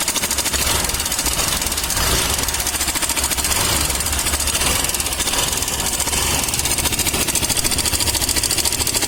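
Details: Suzuki Access BS6 scooter, engine running at idle: a busy, sharp metallic clatter rides loudly over the idle from the top end, traced to a worn or slack cam chain tensioner.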